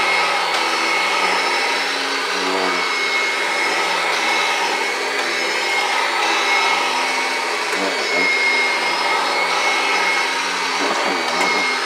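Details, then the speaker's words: 1991 Kirby Generation 3 upright vacuum, run for the first time in quite a while: steady, even motor roar with constant high whir, no surging or dropouts, not missing a beat; running smoothly, normal. "Not even missing a beat. Sounds really good. Perfect."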